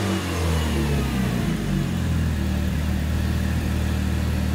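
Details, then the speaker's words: Mitsubishi Evo 8 turbo four-cylinder, refueled fresh after draining bad fuel, wheels off; blips and drops back to a smooth deep idle with no rasp, hiss or ticking from the manifold; exhaust sounds healthy, not leaking. "you know we could put the wheels on you can go out and drive it yeah I thought it was going to be all raspy no it sounds pretty decent"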